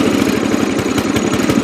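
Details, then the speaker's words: Yard King riding mower, small single-cylinder with Walbro carburetor, linkage fixed: low, slightly lumpy idle with uneven firing pulses, right at the edge of stalling; idle can't be set lower without stalling, blamed on the carburetor. "can't get it down too wellow it'll stall out"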